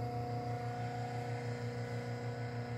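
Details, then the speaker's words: Homemade cabbing machine on an 8-inch Rikon low-speed bench grinder at 1750 rpm: quiet, steady hum with a faint even pulse, no rattle and almost zero vibration; wheels spin nearly true. "do you hear that there's hardly anything to hear this motor is great if you look at that water there is like almost zero vibration"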